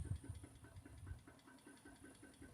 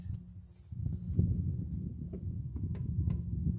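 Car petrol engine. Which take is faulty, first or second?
first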